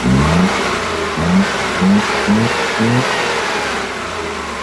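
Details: Suzuki Multicab F6A engine blipped at about 25% throttle: uneven, stumbling random "tak...takatak" misfire with the engine visibly vibrating.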